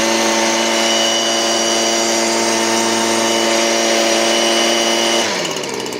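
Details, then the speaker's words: Stihl BG56C leaf blower, 27cc 0.9hp two-stroke, warmed up, serviced, carburetor set correctly: a steady, high, even buzz holds clean at wide open throttle with no bog or stutter, then eases down smoothly; healthy. "Also, listen to how this runs nice and clean when I hit wide open throttle."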